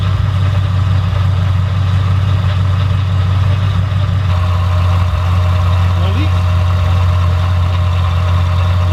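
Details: Car with used Magnuson supercharger kit just installed, first startup: steady, even low rumble with smooth unbroken pulse throughout; clean normal idle with no misses.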